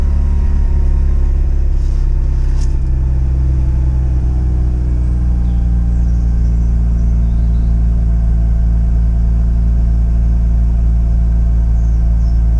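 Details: Mazda RX8 rotary cold start: after misfiring the first few seconds, a steady, smooth, elevated high idle with no audible misfire; misfires later fixed, injectors had been incorrectly wired.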